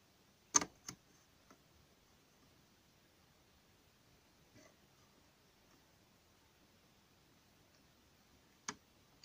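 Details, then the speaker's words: Lever-lock strongbox (armoire forte) being picked open: a few sharp, sparse clicks over near silence as the levers shift under the pick, normal movement, though levers can sometimes jam and the mechanism must not be blocked. "ce qu'on entend c'est petit clic toujours bon signe les gorges se déplacent mais quelquefois se déplacent se coince un endroit"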